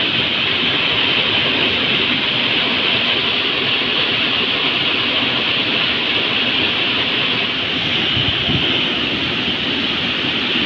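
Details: Heater blower motor (Volvo ventilation) fed from the fuse panel. Harsh, even rushing whir with a gritty edge and no speed change. Noisy blower motor, cause not confirmed.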